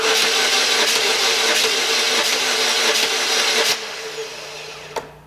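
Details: 2004 Pontiac Sunfire 2.2 L with a no-start: the starter cranks in steady, slightly slow pulses on a weakening battery but the engine never catches. The fuel rail test port shows no fuel pressure; the fuel pump relay is checked next.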